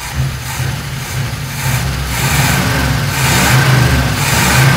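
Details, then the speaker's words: 1957 GMC 100 pickup V8 first start after sitting many years, fed fuel directly into carburetor bowl: uneven, lumpy idle with irregular low beats and hissy breathy edge; tired, worn engine with blow-by from valve cover vent, but runs. "well it runs it definitely sounds whooped though a little bit of blow by coming out of the uh old vent there on the valve cover but it does run"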